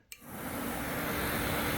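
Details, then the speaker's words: 2007 Kawasaki KLX, radiator fan tested by grounding the sensor wire: the fan spins up within a fraction of a second, then holds a smooth, even whoosh with a steady low hum; the cooling fan works normally. "and it grounds out when it wants the fan to come on. So if I ground this, the fan should come"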